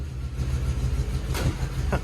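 Low, steady rumble with an even burble and no misfires or knocks; V8 idling cleanly.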